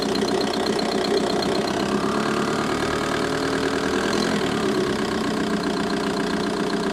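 Diesel idling steadily with a quick, even light ticking riding over the clatter; something in the engine bay is ticking, cause unclear.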